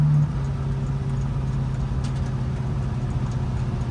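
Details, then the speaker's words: Chevrolet El Camino V8 idling, alternator charging 14.5 V, a couple of exhaust leaks audible; deep, smooth, even rumble, no misses, ticks or knocks; normal healthy idle. "But she's a certified ripper now. Listen to that baby purr. My dad's gonna love this thing."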